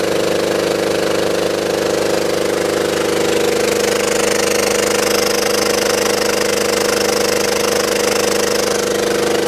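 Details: Belt-driven air compressor on a scrap-saved single-phase motor at 240 V, after the crossed capacitor wiring (start cap fitted in place of run cap) was fixed. Strong steady hum with an even, fast pumping beat, no knocks or rattles; current draw falls as compressor oil warms.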